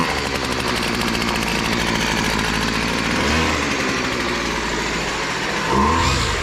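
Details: Garage-sale BC 2500 LE two-stroke weed eater, long unused, after fixing loose head (lost compression) and kinked primer line: steady even idle with a couple of brief blips; normal idle.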